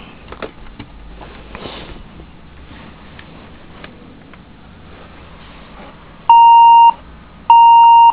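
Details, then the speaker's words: HP DV5 laptop with a black screen and flashing caps/num lock lights, RAM in the bottom slot: two long, clear mid-pitched beeps at power-up; owner suspects a bad slot, with memory not recognized. "you can hear that it's beeping power it back down so it beeps in the second slot it doesn't beep in the first slot"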